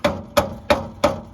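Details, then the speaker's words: Kia Venga: sharp metallic clangs about three times a second with a ringing note from a loose, wobbly exhaust pipe knocking. "and that noise there gets very annoying when the radio doesn't go loud enough"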